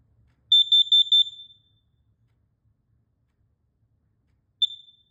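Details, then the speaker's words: Household carbon monoxide alarm on test: four quick shrill high beeps, a pause, then another beep starting; CO alarm sounds normally. "Let's go test the carbon monoxide alarms."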